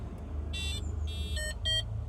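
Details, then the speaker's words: Homemade paragliding vario with a BMP280 sensor and piezo buzzer, battery-powered, switched on: three short, high, clear chirps right after power-up over a low background rumble; normal startup beep. "And it beeps. When you go up, it beeps."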